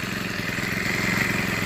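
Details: Troy-Bilt TB6044XP four-stroke string trimmer, about four years old, just overhauled: even, steady buzz with no misses or rattles; normal running, smooth and healthy.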